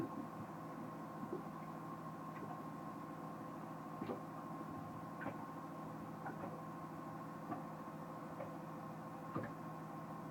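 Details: Pro Mariner battery charger on a MerCruiser boat makes a weird noise: a low steady hum with faint, irregular ticks every second or two. Abnormal ticking, cause unclear.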